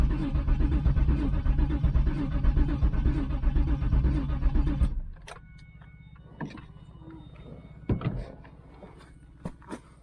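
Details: 1996 Pontiac Trans Am, LT1 5.7, said to have no spark or fuel; with a fuel pump just hooked up and a new filter, five seconds of steady starter churning at about two beats a second, never catching, ending in a few clunks: cranking no-start.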